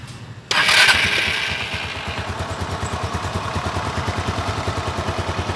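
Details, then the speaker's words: Suzuki Spin after about one month on Kixx 10W-30 oil, engine warm after a ride: sharp start then steady, even idle putter with no knocks or rattles; smoother than before the ride. "Uniknya suaranya lebih halus daripada suara waktu idle, lebih halus daripada waktu mau berangkat."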